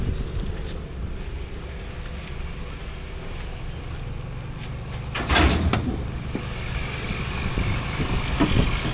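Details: 2000 Pontiac Firebird, 3.8L V6 with 4L60E transmission, a donor car at 164,029 on the reading, idling with the hood open before a test drive: a low, soft, even rumble with no ticks or knocks and a brief handling clatter midway. Pretty quiet, normal idle.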